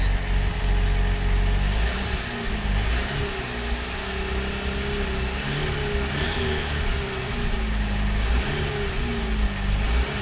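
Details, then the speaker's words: 2019 Jeep Wrangler Unlimited Rubicon with 54,000 miles, started at auction: the engine idles with a deep, uneven, gurgling rumble and a few light revs, sounding unhealthy for its mileage, with a small leak noted. "well that doesn't sound so [Music] healthy doesn't sound healthy at [Music] all she's a little gurgly for 50,000 miles this thing sounds like a turd"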